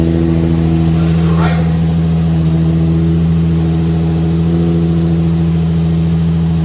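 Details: Nissan 350Z under rebuild after crash damage: smooth, even idle with a steady low hum and no knocks, ticks or misfires; engine sounds healthy, the work here being on the wheel hub assembly, which had a nasty noise.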